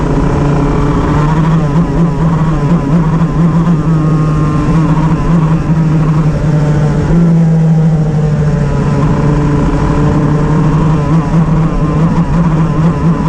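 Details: Two-stroke shifter kart on track at The Oval. A loud drone whose note repeatedly breaks up and stutters under load, a misfire with no clear cause.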